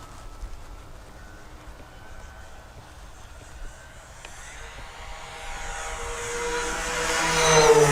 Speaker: Oh, yeah. You hear that squeaking? Yeah, it's the whistles off the intakes. Oh, okay. It does it every time.